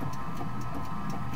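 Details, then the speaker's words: Vintage American portable wringer washer, rated 90 W (about 1/7–1/8 hp). Steady low motor hum with a soft even tick about four times a second from the sealed all-metal worm-to-helical reduction gearbox; motor and gearbox running normally. "the motor goes into a reduction gear box it's worm gear to helical gear the gears are all metal"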